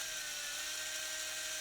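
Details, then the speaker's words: Furitek PIXI ESC, brushless motor with RPM limiter set to 19,000 RPM (not the rev limiter that bounces 22,000–17,000): thin, steady high whine that never changes pitch, motor held at 19,000 RPM regardless of throttle. "See that? It just limits it to 19,000 RPMs, no matter what my throttle is at."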